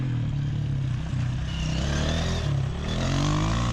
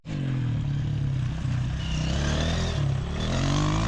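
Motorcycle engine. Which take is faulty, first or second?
second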